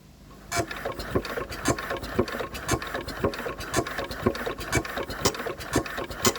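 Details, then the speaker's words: Enfield diesel cranking slowly with sharp, regular injector chirps about two a second: after bleeding fuel pipework, both injectors now chirping, delivering fuel; engine still won't run, high compression noted. "We're getting 2 chirps. We are getting 2 chirps. Did you hear that? So we're getting a chirp out of each injector now."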